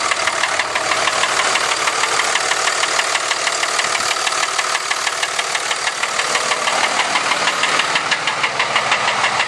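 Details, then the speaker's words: 2003 Dodge Ram 5.9 Cummins diesel idling with a loud, sharp, steady knock about three a second; flex plate and transmission ruled out, compression test pending. "all right okay 2003 Dodge 5.9 comings making a loud knocking noise"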